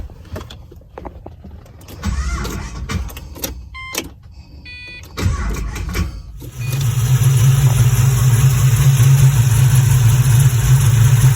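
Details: Pontiac GTO with original fuel pump reinstalled and reconnected to the regulator, fuel pressure at 50 psi, battery a little weak: several seconds of uneven cranking and stumbles, then it catches and settles into a steady, even idle; normal start and idle.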